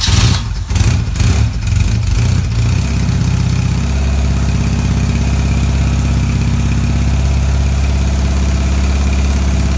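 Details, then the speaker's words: BMW R80 cafe racer project: first start-up after the build, on the old battery. A few uneven catches, then the twin settles to a low, even, quiet idle with no clatter or misfire. Normal idle. "so as you can see as you can see is a runner fantastic it sounds sweet"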